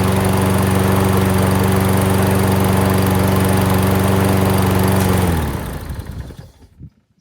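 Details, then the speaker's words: Self-propelled lawn mower, oil looks clean, needing only typical service: engine runs steady and even at constant speed with no misses or knocks, then winds down cleanly on shutdown. Normal running. "Nice. That one does run. Good. Alright. So this one will be in the line of just typical service. Oil does look clean, so probably don't even have to touch that. But it's a good runner already."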